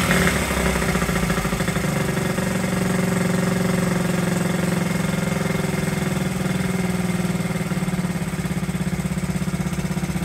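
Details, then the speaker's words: 1969–70 Honda Z50 started after 35 years without cleaning points or carburetor, fork repair done; idle being adjusted, small single-cylinder settles into steady, even putter at low idle with no misses or stumbles. "point there you have it running after 35 years first like a kitten didn't even have to clean the points or the carburetor amazing"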